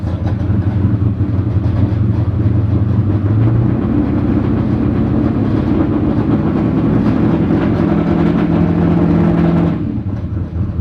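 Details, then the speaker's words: Twin-turbo ~2000 hp Corvette at idle: loud lumpy V8 with an uneven, rattly torque tube clatter that clears above 2,000 rpm; fuel and oil pressure good, no smoking, scavenge pump working. "It sounds like hell too, just because of the torque tube, so just deal with it. Just deal with the torque tube."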